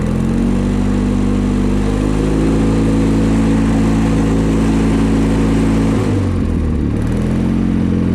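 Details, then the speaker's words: Kohler-powered John Deere 318 garden tractor while driving; steady engine drone with a coarse shaking beat near four per second and rattle of the sagging seat hitting the fenders; heavy vibration, cause unknown, engine itself runs good. "vibrates pretty bad. Oh yeah, you can hear the seat hitting the fenders as I'm going."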